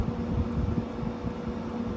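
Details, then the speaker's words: GE AHTE06AAQ1 6000 BTU modern window air conditioner: steady low compressor hum, smooth even tone without the high-pitched whine, heard with fan noise set aside; compressor running normally. "So this is a pretty good sounding compressor in here, I'll give it that. The compressor sound is really nice."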